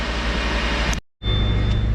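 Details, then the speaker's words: 2013 Subaru Impreza, bad front wheel hub bearing (cheap AutoZone bearing, about 2 years old), driving with slight vibration: constant loud low droning hum/growl under road noise, not clicking; worn front hub bearing. "back of the wheel it's not clicking so it's a loud hum I'm going to show you guys right now"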